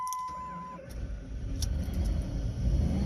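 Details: Jeep Liberty towed in cranking without starting, after new fuel pump, ASD relay swap and added gas: short chime, then engine catches and rises to steady even low rumble; starts cleanly, problem solved.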